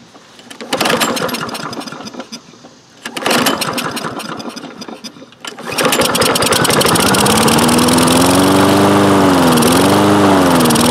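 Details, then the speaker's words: Toro Recycler mower with Kohler engine, sat unused for some time: after a couple of pull-start tries it catches and hunts up and down; surging improves holding throttle open or closing choke, suggesting lean running. "well you see it's running of course and but surging and it improves when I either a hold the throttle open or close the choke plate forcibly close the choke plate so it sounds to me like it's not getting enough fuel"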